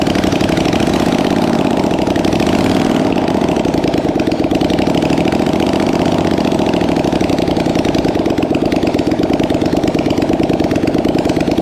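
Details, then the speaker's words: Polaris Sportsman 850 XP quad, sat for years on a cattle station, first start after checking spark and fuel pump: fast, even idle beat holding steady with no misses or knocks; idling properly. "well that's actually very surprising they both run"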